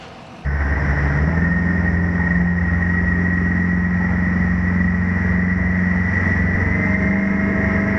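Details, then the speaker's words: 2020 Mercury 150 hp four-stroke outboard on a 2000 Sea Fox 192, warmed up and raised 1.5 inches: leaps up then holds a strong, steady, even full-throttle drone with no misses, 5,800 rpm at 45.6 mph; running healthy. "Picked up some RPM here. The wide open throttle was 5,800 RPM doing 45.6 miles an hour."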